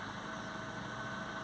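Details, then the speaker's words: Peugeot 207 after no-crank fault from corroded ECU and added yellow wire at the ECU: now starts and idles steadily with smooth low hum, no knocks, misses or engine light; not yet confirmed the wire was the fix. "it's actually well it's started I don't know if you can hear it but it started so no engine light no nothing so that's pretty good"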